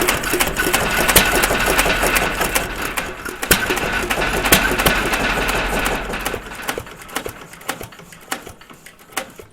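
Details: Stover CT1 1.5 HP hit-and-miss engine with Wico WK magneto, started after having been choked and flooded: sharp ticking about three a second with occasional heavier firing pops between coasting strokes; normal hit-and-miss running.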